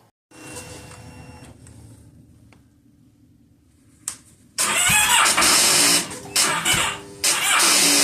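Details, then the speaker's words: 2009 Kawasaki Versys on a chilly morning: short, labored cranking bursts that never catch; the old, weak battery reads about 12.68 V but drops to roughly 7 V when starting. "Well, in the early part of the day when it's chilly, the battery voltage drops down. So, it may show like 12 68 on the meter, but when you go to start it, the voltage drops down to like seven."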